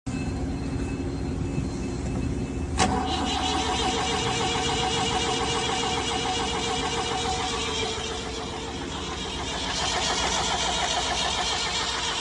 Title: Hard starting #diesel #engine #injectionpump